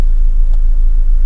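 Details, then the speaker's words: 2006 Audi A4 Cabriolet S-Line gas engine, previously running rough and diesel-like with low oil pressure, now after repair: low, steady idle rumble with no ticking or knocking; runs smoothly and quietly, though check engine light later returns. "do you guys hear how quiet the engine's running now"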